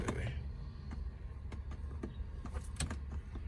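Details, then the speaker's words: Auction BMW with about 74,000 miles at Copart: scattered light clicks and ticks when trying to start, with no cranking or turnover; it is getting some power but won't crank. "Y'all hear it making noises, but don't crank up."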